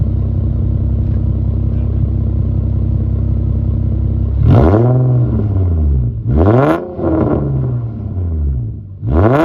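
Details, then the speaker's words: 2008 Infiniti G35 after new exhaust gaskets were installed: steady deep idle, then several clean revs rising and falling smoothly with no ticking or puffing from the joints; back to how it's supposed to sound. Normal exhaust note, sealed after repair. "yep there it is sounds good back to what it's supposed to sound like"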